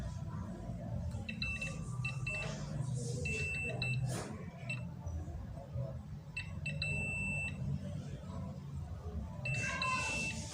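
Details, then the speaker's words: NIKO LPG bathroom water heater, magnetic flow sensor tested with multimeter in continuity mode and small speaker magnet: high steady beeps switch on and off as magnet approaches, over background music; flow switch closes properly. "jika ini masih bagus sekitar dekatkan dengan magnet ia akan merespon"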